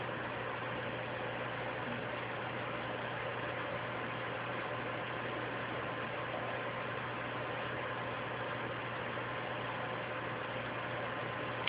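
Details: PlayStation 3 during Blu-ray drive remarry, loading Blu-ray movie: constant airy whoosh with low steady hum, fan running loud; owner attributes it to a loose RSX graphics chip needing reflow, not yet confirmed.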